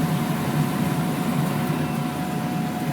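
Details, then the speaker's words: Gas dryer after repair with a new thermistor, test run: drum turns evenly, burner lit with a steady low flame roar and faint constant tone, no popping or stutter; normal burner operation. "such a lovely fire okay and there is a dryer that has been repaired"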